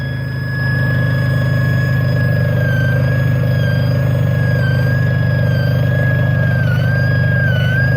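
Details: 2005 Renault Clio 1.6 16V (K4M engine) at idle: a thin high whine with near-constant pitch over a steady idle, coming from the top part of the engine; the cause is unknown and the owner is asking for ideas.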